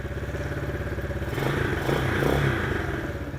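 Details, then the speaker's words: Chinese ATV rolling forward at low speed: light uneven clicking about three a second, only going forward, fine in reverse; owner suspects transmission, not confirmed. "Hear that clicking? Just click, click, click, click. Only happen when I'm going forward."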